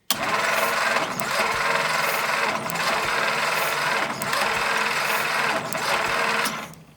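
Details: Old cheap Jeep with points ignition, new plugs and wires, spark confirmed at all plugs: starter churns steadily with slow even surge about every 1.5 seconds but engine never fires; coil connection suspected.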